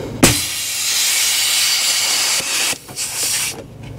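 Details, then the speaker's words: Semi truck engine fan clutch solenoid air line tested for a fan that stays on: steady air hiss for about two seconds, then short puffs as the clutch engages and disengages; solenoid passing air normally. "when we when we take air away from the fan you can hear the the clutch go where it's engaging and disengaging"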